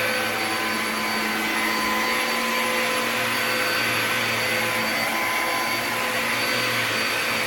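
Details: Bissell Powerglide 1647 vacuum after cleaning restoration (disassembled, vacuumed out, wiped, plastics polished), part refitted and run: even steady high-pitched motor whir with no rattles, surges or scraping; vacuum motor runs smooth and healthy.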